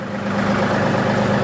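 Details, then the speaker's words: 2018 John Deere 3038E diesel tractor, previously intermittent crank-no-start with code ECU A 523249.05, fixed by wiring up a new one and cleaning the sensor: smooth, even idle with steady clatter and constant pitch, no hunting or misfire; fires right up, no codes. "Everything's running good. Tractor arrives up fine. But before, it was one of them kind of like hit and miss kind of things. Like it would work when it wanted to, not work when it wanted to. It was just all over the place. But now, she fires right to life."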